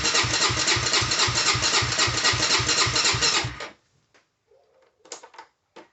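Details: Honda 400EX ATV that cut off while riding, fuel present and kill switch correct: fast, even starter chatter for under four seconds, then silence; cranks freely but won't fire, spark plug to be checked, owner fears jumped timing.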